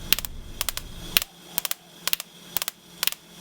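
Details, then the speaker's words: 1996 Nissan R33 GT-R RB26 with bigger turbos and 15–16 psi boost, misfiring at 5,000–6,000 rpm under boost; coil pack bench test, ignition on, plugs in coils against aluminium earth sheet: crisp snapping spark bursts about once a second. "I've turn the ignition on and as I turn the C you will hear the Sparks jumping across the spark plugs to aluminum"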